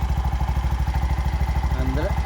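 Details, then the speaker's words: Bajaj BS6 auto-rickshaw, over 2 lakh km, after timing chain repair and new clutch assembly: steady single-cylinder putter about eight even pulses a second, no top-end ticking or clatter; quiet, smooth, healthy idle. "Sound sound less ಗಾಡಿ ಆಗಿದೆ ಯಾಕೆ sound less ಆಗಿದೆ ಅಂದ್ರೆ clutch assembly ಎಲ್ಲ ಹೊಸದಾಗಿಬಿಟ್ಟಿದೀನಿ"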